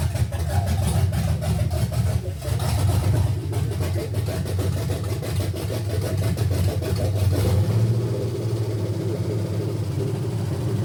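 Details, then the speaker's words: 1971 GMC C10 with fuel-injected 5.3L LS swap, first start on old gas, believed stock cam: deep choppy idle with uneven loping pulse and stumbles, smoky; lumpy rough idle running super rich, tune needs work. "It's running super rich. Sounds like it's super cammed."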